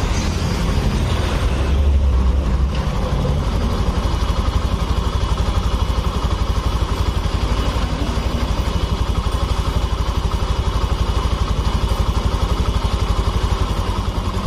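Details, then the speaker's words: Honda Vario FI scooter after engine rebuild (piston had been destroyed), first start: steady even putter at idle after a brief rev, no knocks or rattles; sound soft again, engine running normally. "Nah ini motor sudah menyala sudah tidak berasa ya suaranya sudah lembut kembali sudah normal"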